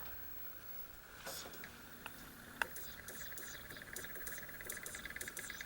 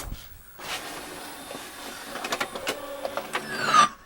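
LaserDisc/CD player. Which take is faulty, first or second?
first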